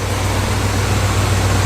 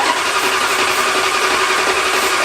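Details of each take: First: 1977 Chrysler Newport V8 right after an engine and transmission swap, idle adjusted down: a deep, steady, even idle with all eight cylinders firing cleanly and no stumbles. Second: '77 Chrysler Newport after motor and transmission swap, fuel filter added: steady fast even cranking about seven seconds without catching, then sharp pops only when key turned off; crank-no-start, owners suspect the electronic ignition box.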